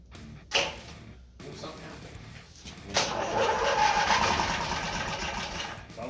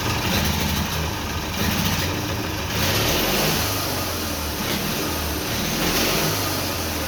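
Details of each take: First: Twin-cylinder Briggs & Stratton engine on a mini bike, first start on a splash of primer: catches with a rough burst, runs a few seconds, then sags and fades out as it runs out of fuel, needing another prime. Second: Twin-cylinder Briggs & Stratton engine on a mini bike, first start after carburetor rebuild, with homemade black steel pipe exhausts. A loud, raspy twin rises and falls with the throttle, firing evenly on both cylinders and running cleanly.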